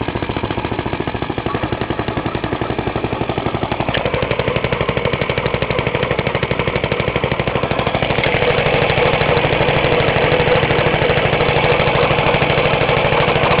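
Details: Half-restored 1954 reel mower: repainted Briggs & Stratton 6S, 1.6hp, non-original shroud, pull start removed, homemade throttle valve; plus 1984 Montgomery Ward B&S 3.5hp TMO-37425A. Crisp, even popping about three beats a second, picking up smoothly with throttle; normal running.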